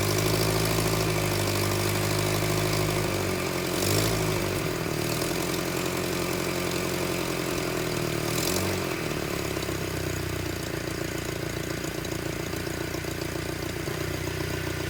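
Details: 1978 Datsun 1500 Ute GN620, 20 years stored, after carb cap removed: catches and settles into even steady idle, regular beat around 220 a minute; normal idle.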